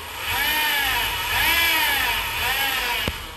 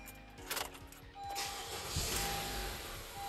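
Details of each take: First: 2017 Honda Accord at idle and on acceleration: high whine rising and falling with revs, heard right after starting; suspected from the accessory drive belt pulleys rather than inside the engine, before belt-removal test. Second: 2017 Honda Accord after installing a new drive belt and tensioner to cure a whining noise at start-up and acceleration: starts and settles into a steady idle with a brief rev, and the belt whine is gone. Normal idle and revving.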